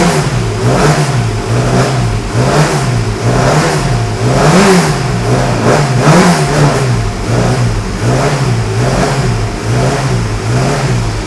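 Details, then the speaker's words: Classic Mini Cooper S race engine, first start after refitting, cold, HS4 carburettors with no choke, oil pressure over 100: repeated blips where each rev rise lags and stumbles; hesitation from the carburettor needles. "so you can still hear it it's a little bit hesitant to pick up and that's because the needles are still a little bit"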